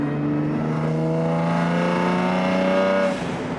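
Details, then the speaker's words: Nissan Z with an upgraded aftermarket exhaust, cruising at 100 km/h just over 2,000 rpm with no drone, then accelerating as a rising note turns raspy from about 3,000 rpm; a healthy exhaust tone. "So if you're cruising a little bit over 2,000 RPM and you roll into it, it hasn't got any drone or any weird noises, but at about 3,000 RPM is where the raspiness kind of kicks in."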